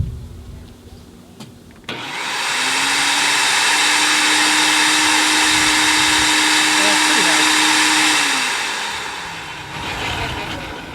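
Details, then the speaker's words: SunJoe electric wood chipper, switched to forward and running empty with no load: a click, then a loud, even high-pitched whirr about as loud as a shop vac, holding about six seconds and winding down. Normal no-load running. "It's about as loud as your shop vac, maybe a little louder. So we're hearing protection for extended periods of time."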